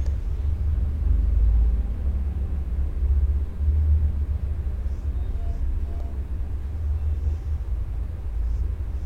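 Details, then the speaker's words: Wall/table fan run after replacing the copper motor bushes and shaft and refitting the grille: steady, even low hum and airy rush with no knocks, scrapes or rattles; it runs freely and easily, normal fan running. "So ಈಗ run ಮಾಡ್ತಾ ಇದ್ದೀನಿ ನೋಡಿ. So ಸಂಪೂರ್ಣವಾಗಿ ಈಸಿಯಾಗಿ run ಆಗ್ತಾ ಇದೆ."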